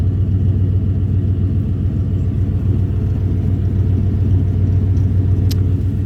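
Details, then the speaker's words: 1993 Ford F-150, warmed up: steady, even low rumble at idle with no stumble, hunt or hiss; suspected cold vacuum leak and check engine light both go away once warm, and idle smooths out. "and the idle on this thing Smooths right out you hear how good this thing sounds right now"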